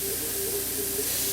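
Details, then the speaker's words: Homemade airbrush compressor, capable of 100 psi, running full blast with the microphone about 10 inches away. A quiet hum sits under a constant airy hiss that never stops while running, which is a leaking check valve. "it is running full blast right now. And other than the fact that you can hear a check valve leaking,"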